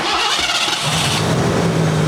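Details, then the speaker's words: Petrol car after replacing the intake gasket and reconnecting a forgotten part that caused a misfire; cranks briefly, catches, and settles into a steady even idle with no leak; normal startup and idle. "That sounds better. It's all dry."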